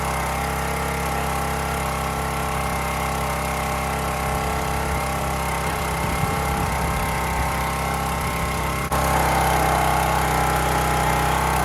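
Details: County Line 25-ton log splitter single-cylinder engine, fuel replaced: steady beat while hydraulics work, pitch rising slightly near end, no bogging or misfire; running healthy.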